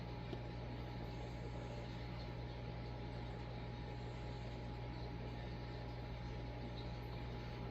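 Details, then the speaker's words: Vintage Casablanca Victorian ceiling fan with a K63 motor from the late 1970s or early 1980s, apparently on high, recorded from under the fan: smooth, constant low hum with a faint steady tone; bearings are still okay, though there is slight wobble, likely from a warped flywheel. "See, I would run it just like this in my kitchen. That's perfect. I think that's high."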